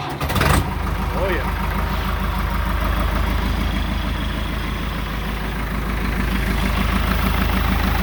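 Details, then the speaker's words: Ford 655D/555E/555C backhoe on its first start after a hydraulic cylinder rebuild: a short crank, then a steady, even low diesel chug with no knocks or misses. Normal start and idle. "and it runs really well"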